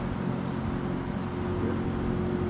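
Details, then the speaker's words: 1970s Electrohome 652-2C (Lakewood P23) vintage box fan on high speed: loud even air rush over steady low motor hum and blade drone, no rattle or wobble; normal running, little different from medium, needs oil for spin-up. "Not too much of a difference between medium and high, but yeah. Really, really strong. Like, oh my goodness. This thing is an absolute beast, that's for sure."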